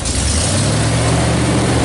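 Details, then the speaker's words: 1976 Chevy square body 4x4 big block, cold start after sitting a long time; leaking exhaust manifold snugged up, small leak remains at passenger-side donut: deep loping rumble settling into a steady idle, no manifold ticking; healthy. "Listen to that rumpity rump. Don't die on me. It is a cold start, folks, but you know what? I don't think it will die."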